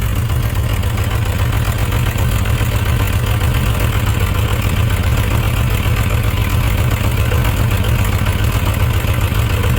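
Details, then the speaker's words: Suzuki RF900 after leaning the carburetor on the wet-header cylinder (suspected excess fuel): slightly better, but still an uneven, lumpy idle with dropped pulses. That cylinder is still misfiring. "that cylinder is s not firing well so we're going to check this back long let's see what's going on"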